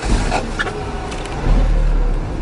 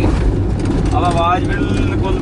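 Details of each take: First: Car driven at high speed in first gear: loud, strained roar at high rpm with deep rumble; noise stops after shifting to second gear, so driver should upshift. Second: Car being driven in second gear after first gear was pushed to high speed: low, steady engine hum at moderate revs, no straining roar; the high-rpm noise heard in first gear stops, engine normal.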